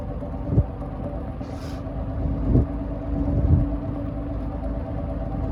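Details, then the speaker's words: Manning Bowman electric fan running on high setting: steady low motor hum with a few dull thumps, no squeal or grinding; fan running on high. "up to high. Hopefully those motor sounds sound good."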